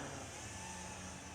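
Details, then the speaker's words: Small 4-inch FPV quadcopter on 4-cell battery flying normally after re-tightening a possibly loose screw/nut: steady, quiet motor hum and propeller hiss with no rattle. "All right, sounds pretty quiet."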